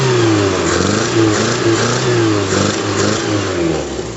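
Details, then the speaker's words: 1974 MG Midget after a carburettor and drivability upgrade, with the breather not yet fitted: it starts quickly and picks up sharply on each of several quick blips, dropping back cleanly. Healthy revving with good throttle response. "you got some uh great throttle response on that so I'm excited"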